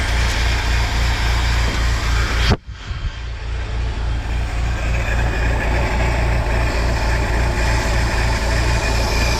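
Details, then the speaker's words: 1953 Willys CJ3B stored for years, running on 2-year-old fuel: after a brief dropout, a steady, even low idle settles in with a smooth rhythm and no knocks; the engine is running fine. "good okay so we got it running it's running on 2-year-old fuel which is amazing"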